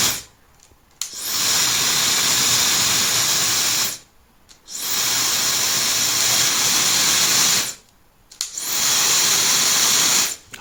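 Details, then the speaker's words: Known-good hair dryer, recorded through a sound probe on an A02 oscilloscope watching the 20K–23.1K band: three starts, each ramping to a smooth steady airflow hiss with no rattle or scrape; normal motor spin-up. "这比较明显，它电机开了以后会有个升速的一个过程。"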